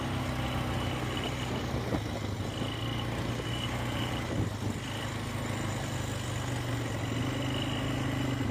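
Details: 2000 Polaris Sportsman 500 4x4 ATV idling: low steady hum with a short high-pitched chirp repeating about once a second; cause unknown.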